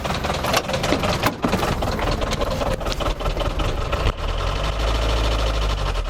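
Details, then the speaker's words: Iveco 35-8 at a shaking idle with heavy, irregular knocking about two and a half per second; owner suspects a spun connecting rod bearing, unconfirmed, and was unsure he could drive it back; engine knock at idle. "À ce stade, limite, je m'en fous s'il y a tout qui pète. Waouh, ça fait vraiment un sale bruit."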